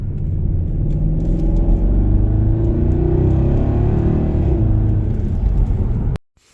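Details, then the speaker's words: Jaguar XKR (X150) with newly installed exhaust, interior sound pulling hard in second gear: deep full rumble rising smoothly, no rattles or blowing; healthy exhaust note. "Nice. Certainly sounds good, doesn't it?"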